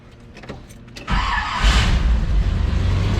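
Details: Late-80s/90s Chevy truck after distributor replacement (Hall effect switch suspected), timing not yet set: quiet, then engine catches cleanly and settles into even steady run with no misfire; starts normally.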